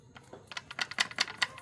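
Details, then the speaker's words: Ford DPS6 dual-clutch transmission failing learning: sharp dry clicks about five a second ratcheting back and forth as TCM shift motor tries to set N or P against a jammed internal lever with broken stop; TCM motor ratcheting. "makanya suka ada suara seperti ini ditransmisi bolak-balik itu karena motor tcm-nya bergerak muar ini sehingga bikin suara itu dia mau memposisikan gearnya dalam posisi n atau P gitu ya"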